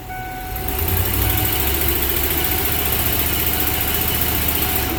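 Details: Ford 4.6 V8 after new coils, new plugs, injector cleaned, a faulty new coil found on cylinder 4 and plug regapped: steady, even beat with no misses, pops or stumbles, a smooth rumble; misfire fixed, engine running clean.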